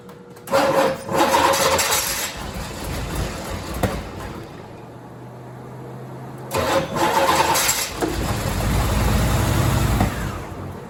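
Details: 1987 Chevrolet Corvette C4, under 86,000 miles, sat for years, new injectors, big vacuum leak from an unsealed intake part: starter churns, catches about a second and dies, cranks again; cranks, fires briefly, won't keep running, vacuum leak suspected.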